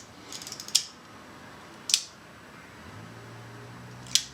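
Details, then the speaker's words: Yashica Electro 35 GSN manual shutter mod, leads clipped open for bulb: crisp click opens the leaf shutter, another closes it about a second later, then one more click; shutter holds open on bulb normally. "connect these guys either too short to open or a series of resistors which will correspond to different shutter speeds so let's try one open first should be bold"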